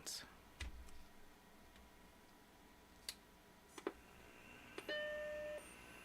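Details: Compact Macintosh after inspection, no leakage found: faint clicks, then a single clean chime under a second over a quiet fan hum; 11.97V and 5.01V rails, fan not loud, boots to flashing question mark; normal startup chime.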